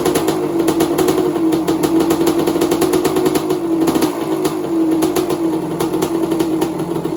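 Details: 1986 Kawasaki KX250 two-stroke after a lean-run holed piston, now with rebored cylinder, new piston, top-end gaskets and water pump kit: steady clean buzz rising and falling smoothly with throttle, no rattles or misfires; healthy.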